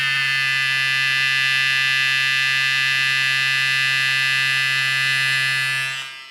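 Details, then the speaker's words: VGR 946 ICE Technology trimmer, brushed 8000 RPM motor: steady even buzzing whir of small internal cooling fan with bright high hiss, cutting off cleanly at switch-off; fan sounds normal. "No sé si a través del micrófono se puede escuchar, pero hay un pequeño ventilador que se escucha ahí dentro."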